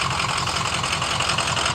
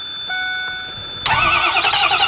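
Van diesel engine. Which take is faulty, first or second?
second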